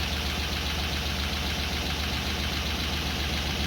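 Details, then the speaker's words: Freshly rebuilt Land Rover Discovery 2 V8 idling after re-adjusting tappet preload and rocker post shims: a light, fast top-end tapping over the low rumble persists, unchanged by the shimming. "now although this is actually the same clip of video the engine noise didn't change so here you go it didn't work"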